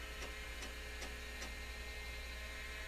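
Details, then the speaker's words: Amstrad PC1512: the old hard drive gives a steady hum with a sharp tick about every 0.4 seconds, vibrating heavily, not detected and sounding unhealthy. "that doesn't sound healthy does it that hard drive really does not sound healthy"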